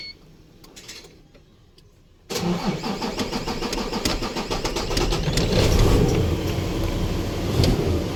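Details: Isuzu truck with 6WF1 CRDi diesel: a couple of seconds of weak, low cranking, then the engine catches abruptly and settles into a rough idle; hard, reluctant start.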